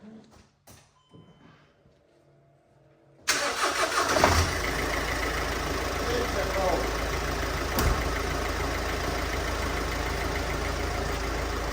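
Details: 2010 Mercedes Vito, OM646 diesel, after replacing two leaking injector seals and cleaning the carbon: after quiet it cranks, catches at once and settles into a steady, even clatter with no chuffing.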